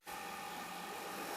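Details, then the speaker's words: Small blower fan on a homemade wood gasifier for a truck, switched on after loading the gasifier with wood: soft steady whoosh with a faint constant hum, fan running normally. "all right I got down real quick here and turned on our fan maybe you can hear it running down there"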